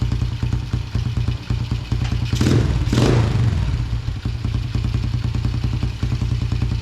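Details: Yamaha TTR90 single-cylinder dirt bike, carburetor refitted after falling off, airbox off: thumping idle, a rev blip that picks up a bit slowly, then steady idle; slight hesitation on hard throttle, lean running suspected without the airbox.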